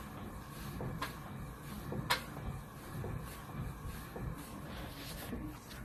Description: This is a quick video of our 9 month old pro form cardio hiit pro with silent magnetic resistance making a noise.